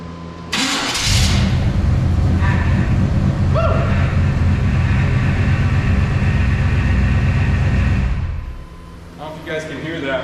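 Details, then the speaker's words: OBS Chevrolet Silverado started after sitting long, after ignition module replacement: steady whine over fresh idle from the power steering pump; suspected low fluid, topped off, possible leak. "the power steering pumps making some noise my guess is it's a little low on the fluid"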